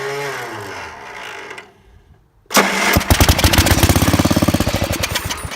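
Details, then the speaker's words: Small splash-lubed engine with good compression, delaminated head gasket, faulty starter, started on carb cleaner via battery cables: after cranking and a pause it fires and runs with a steady, even thump, about three or four beats a second, running well. "Ah! Well, it runs. Sounds like it runs pretty good."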